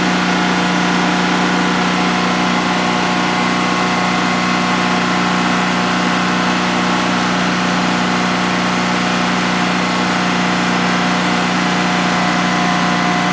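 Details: DuroMax XP15000HX generator, the replacement for a dual-fuel XP15000EH, running on propane in a shed with the exhaust fan off during a 5-minute test on its second start. Steady, even hum at constant pitch, no misses or knocks; normal idle, no issues.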